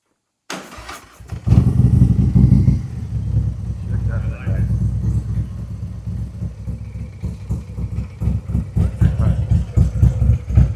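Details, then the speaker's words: 2021 Harley-Davidson Road Glide 114 after a CR483 cam install with ThunderMax EFI, Trask header, S&S intake and 5.5 injectors; the mufflers took on a different tone. Quick crank, then it fires into a loud, loping, steady idle; the start is normal. "mufflers took over a totally different tone. Yeah, it's got a different car."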